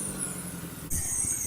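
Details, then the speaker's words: BMW E30 with swapped-in four-cylinder M43 engine at idle: lumpy, uneven idle with irregular low thumps; blown head gasket, compression leaking into the cooling system causing bubbles, middle two cylinders dead despite spark. "As you can see guys, the compression of the engine is leaking into the cooling system. That's what's causing all the bubbles and the air escaping through the water. We also have the middle two cylinders are dead."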